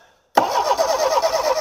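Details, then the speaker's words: Homelite Stingray boat engine after carburetor cleaning and fuel system work. Starter spins it in an even rapid rhythm but it never fires; cranks without starting. Owner suspects distributor cap, rotor or capacitor. Cause not confirmed. "come on girl yeah it might not be well I don't think it's going to start today it doesn't sound like it wants to"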